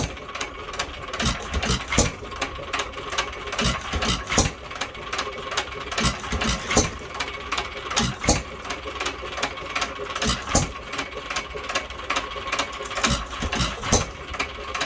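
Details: Unmarked 1 1/2 hp hit-and-miss engine (owner guesses Hercules) with ball governor and air-cooled head, starting after cleanup, governor cleaning and new spring: sharp firing bangs at uneven spacing with coasting gaps; normal hit-and-miss running.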